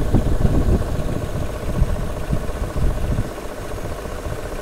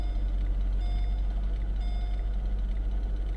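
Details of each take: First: 2005 Mercedes SL500 with six ABC suspension faults, raised on the system while scanning: uneven churning over the idle, then a steady whirring; the ABC hydraulic pump is straining because its reservoir holds very little fluid. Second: 2005 Mercedes SL500 after fresh fluid in the ABC suspension system: steady, even low engine hum at idle with a faint constant whine; the earlier weird sound is gone and the ABC pump sounds normal.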